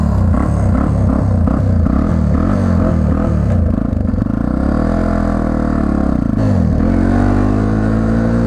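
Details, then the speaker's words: 1999 Yamaha TTR 250 with a carburetor issue: it starts, then the single-cylinder idle sags and hunts unevenly as if about to stall. The idle is unstable; the owner suspects the tuning or a throttle return not holding the throttle open enough. "you can hear it wants to die I don't know what is wrong with the maybe my tunings off maybe my auto returns off"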